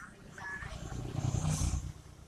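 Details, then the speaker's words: Twin-tub washing machine spin dryer, after rewiring the capacitor and timer, previously spinning slowly: low steady hum builds and holds as the drum spins fast with no scraping or knocking; normal spin. "kita coba daya putar dia Nah itu kan kencang sekali"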